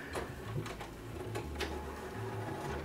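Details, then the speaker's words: Sealed-new 2000 Sharp CD-BA200 stereo, 25 years old, first power-on: soft motor whirring with light irregular clicks and clunks as the changer checks its CDs; slower than remembered but no error messages, mechanism sounds normal. "Will it power on and do all the other things? That sounds all right. So I guess it's checking the CDs."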